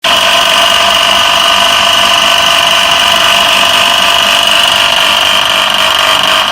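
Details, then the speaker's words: Electric motor running: loud, steady high-pitched whirring roar with a rough edge throughout, from a loose pulley wobbling on the motor shaft. "दोस्तों जैसा कि अभी आपने देखा है कि इस मोटर से काफी ज्यादा आवाज आ रही है"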